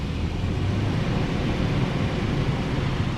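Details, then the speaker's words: 2008 4Runner (4th gen) on jack stands in drive after rear brake job and refitting the loose parking brake spring: steady low drivetrain hum, wheels turning with no ticking or scraping, also fine after parking brake use; fixed. "oh yeah quiet now let me engage the parking brake okay now let me put in drive again oh beautiful so I solved that issue"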